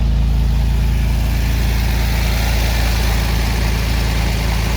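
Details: 1946 Chevrolet pickup straight-six at warm idle after a coolant leak patch: deep, steady idle with an even low pulse and no ticking, knocking or stumbling; running properly with no active leaks.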